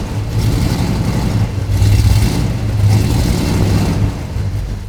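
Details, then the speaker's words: 1973 Ford Bronco, 302ci V8 with headers, carburetor, automatic: deep burble swelling and falling when blipped with uneven, loping beat; runs a little lumpy, suspected exhaust leak up front at headers, carburetor may need setup. Cause suspected, not confirmed. "So, it started, well. It sounds a little bit lumpy, sounds like a little exhaust leak up front, which is kind of typical when you put headers on."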